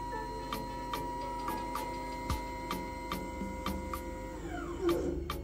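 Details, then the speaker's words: Homemade GRBL CNC controller (ATmega328/Arduino Uno, A4988 drivers, no heatsink, not hot) at slow speed doing go-to-zero: steady stepper whine with faint ticks, pitch dropping as axis stops at position; normal stepper motor motion. "Ini CNC-nya, kontrolernya sudah berfungsi dengan normal teman-teman."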